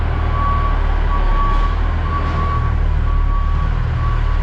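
A high, steady beep in spaced pulses sits over a heavy diesel rumble while reversing: the reverse alarm is working.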